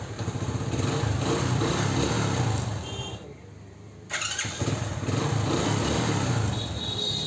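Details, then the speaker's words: Hero HF Deluxe Eco motorcycle after self-starter repair (previously only clicked with tak-tak sound): runs steadily, briefly drops, fires straight back up on electric start and idles evenly; self-start problem solved. "Guys इस bike में जो problem थी self starting की वो problem हो गई है solve."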